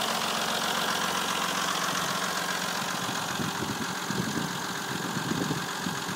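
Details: Opel 3.0 CDTI Z30DT diesel at idle, just after oil change to Mobil 1 0W-40 and new timing belt with tensioners: fast uneven metallic clatter two or three ticks a second; owner asks whether it is within normal.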